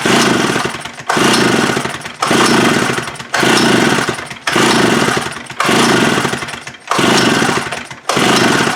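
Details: Free Stihl 041 AV chainsaw, first run after cleaning and carburetor diaphragm service: engine revs rise and sag about once a second in a steady hunting cycle instead of holding speed. Surging engine; cause not confirmed.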